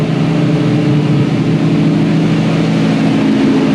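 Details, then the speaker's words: 1965 Mustang inline six (Iron 6), idle after rework: steady low idle with slightly irregular chuffing pulse, still missing though less than before; ignition timing not yet checked and suspected. "Went all right, but still missing. I don't think it's that bad as it was."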